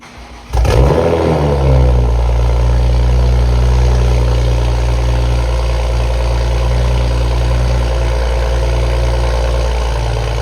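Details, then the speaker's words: Toyota Supra cold start right after a new downpipe was installed: starter catches fast, revs flare loud then settle into a smooth fast idle with a deep exhaust note, much louder than the earlier cold start; healthy. "Okay, right off bat, much louder cold start. I don't know if y'all could pick up the difference between the quick cold start I did earlier and that one, much louder."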